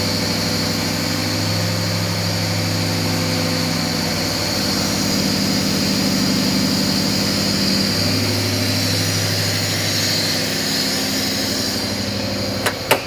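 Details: Nissan Laurel with swapped VH41DE V8, first fire-up on newly configured ECU, timing checked about 5 degrees after TDC: deep steady burble with even lumpy firing rhythm, no knocks or ticks; healthy idle.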